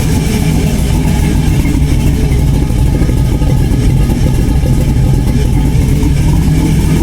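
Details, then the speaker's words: LS-swapped Chevy Blazer: loud rough V8 running steadily with raspy puffing edge over the exhaust note; exhaust leak, to be fixed. "So, sounds really mean. There is an exhaust leak. I know everybody can hear that. I will fix that."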